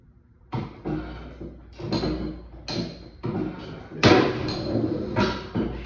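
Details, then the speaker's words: 1876 Otto & Langen liquid-fuelled atmospheric engine, first start on its vaporizing carburetor: sharp single bangs about once a second with quiet gaps, each firing clean and strong; normal firing. "she is does have a healthy a healthy uh bang when she goes"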